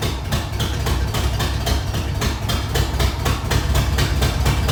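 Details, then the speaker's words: 1994 Ford F-150 after Ford 302 V8 engine swap, cold start: uneven idle with a sharp tick around four per second over a deep rumble; rough idle with ticking, owner suspects a loose exhaust manifold and possibly emissions parts, unconfirmed. "well it started up uh sounds like i got to tighten up one of my exhaust manifolds over there and uh pull it out and kind of go through it make sure everything's all right"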